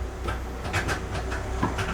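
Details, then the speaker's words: Classic car under restoration, first crank after interior and instrument cluster reassembly, unstarted about 5 months, out of gear, likely no gasoline in it: uneven chugs, roughly four per second, never catches; cranks but does not start, no fuel suspected. "out of gear it's like 5 months since I didn't started and I might not have gasoline inside but I'm interested only to hear that it's cranking and all the functions are running"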